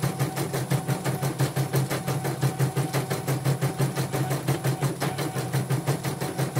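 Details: Portable embroidery machine shipped from Sekayu, South Sumatra with complaints of no embroidering, blank screen, hoop not positioning and dead touchscreen; test stitch after mainboard, LCD and touchscreen work: quick even stitching thumps at steady pace, no grinding or skipped beats; normal stitching.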